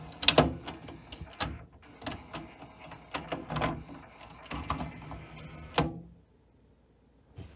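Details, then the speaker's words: JVC Victor XU-D400 Mk II triple-CD/MD combo deck, CD changer section: irregular small clicks and whirring bursts that stop, start, then fall silent; tray mechanism flaking out, insert not coming out with tray. "okay yeah now it's flaking out on me just to make me look bad but yeah this is what some times happens the insert doesn't come out with the tray no big deal"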